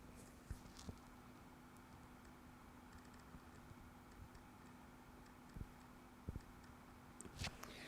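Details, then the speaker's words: Roadside-found PS4 hard drive heard up close: faint hum with sharp clicks about every second as the head tries to read data three times, moves off and returns; read/write head error, failing hard drive. "so that's read right error on the head so it's going trying to read a bit of data trying again trying a third time then moves off and comes back again so it's definitely a hard drive issue"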